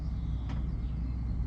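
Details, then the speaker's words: JP diesel hob/heater newly installed in a Fiat Ducato MWB campervan, its exhaust heard running: quiet, steady low rumble with gentle even pulsing and nothing harsh, practically silent; normal running. "and it's practically silent so uh all in all I'm quite pleased"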